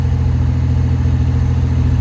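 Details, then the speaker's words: 1985 Pontiac Fiero GT 2.8 V6, rear engine, after replacing rust-damaged ignition control module with a spare (no-start, no codes): steady even low rumble without misses, knocks or ticks; normal idle. "this is not the original by the way luckily I had a spare but yeah it's running again"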